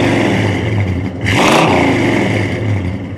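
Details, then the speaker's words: Barn-find 1970 Plymouth Superbird, factory 440 CI V8, parked since 1975, motor reworked, driven 130 miles the day before: deep even V8 burble then a clean throttle blip rising and falling smoothly; strong healthy running. "sounds great tyler great job all right give it a rip let's let's see what"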